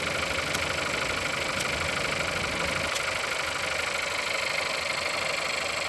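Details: Engine at 176,000 mileage, cold start: fast, fairly even tapping, roughly three knocks a second, over a busy idle; engine knock whose cause isn't known yet.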